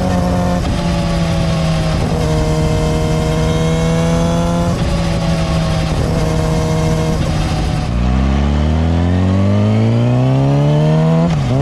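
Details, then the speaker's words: Yamaha R6 at about 25,000 miles with a new chain and sprockets, riding on an OEM-style rubber-dampened front sprocket: engine note climbs smoothly through a gear change, no chain whine standing out; noticeably quieter than the solid sprocket. "So then coming back from my test right now with the OEM style back to having a dampened front sprocket, it is noticeably different."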